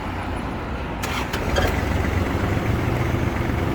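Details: Kubota GL21 4WD Japanese mini tractor diesel, 556 engine hours: brief cranking, catches within a second, settles into steady even low clatter; normal start, though a side panel rattles afterward.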